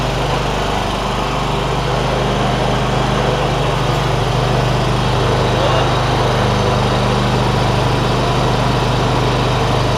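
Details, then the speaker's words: John Deere ZTrak Z915E, Kohler V-twin, sat 2 years; running warm after carb clean fixed a sticky solenoid causing no fuel. Firm even drone, oak leaf debris hitting the cooling fan; normal running. "Those little oak leaf things that are hitting around on the back of the cooling fan. They'll go away in a minute."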